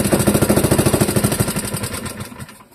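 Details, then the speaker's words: Old Clinton model 3100 single-cylinder engine with choke opened catches with rapid loud popping, then slows and stalls after a few seconds; owner suspects sticky float and carburetor needing cleaning. "Let's open that choke. Hey, signs of life."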